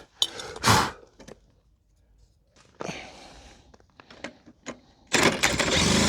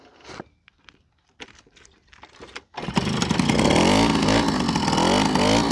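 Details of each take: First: Old pedal-start moped; catches in short ragged pops, dies, then coughs into an uneven run that won't keep going; old spark plug weak, new plug sparks better; bad spark plug. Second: Old moped after 5 years in a barn, old fuel, new spark plug and slightly adjusted carburetor: handling clatter, then the engine catches and settles into an even, buzzy two-stroke run with no misses. It runs normally.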